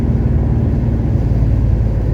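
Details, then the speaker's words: 1970 Porsche 911T flat-six after a run into fifth gear, on its first road test in 12 years: deep, smooth rumble with no ticks, knocks or misfires. Normal running under load. "Oh yeah, this thing rips pretty good. My rule of thumb is if I can hit 70 before that intersection, it's a ripper."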